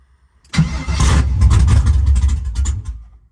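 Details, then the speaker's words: Vehicle: about 2.5 seconds of low, chugging cranking that never catches; crank-no-start, probably out of fuel, with fuel rail pressure later brought to about 55–60 PSI. "come on fuel part of that problem was probably it's out of fuel there we go get it back to the fuel rail"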